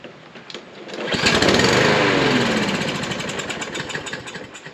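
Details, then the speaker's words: Troy-Bilt mower with Briggs & Stratton engine, stored 3–5 years, fresh gas added, carburetor float/needle suspected: engine catches briefly, then fades into uneven sputtering and won't keep running; fuel delivery suspect. "so for some reason or that it won't keep running"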